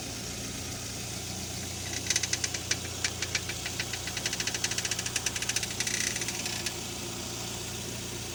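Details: Front-end creaking, about six sharp creaks a second over a quiet idle, when the steering wheel is turned while parked; suspected worn tie rods, ball joints or strut mounts, not confirmed.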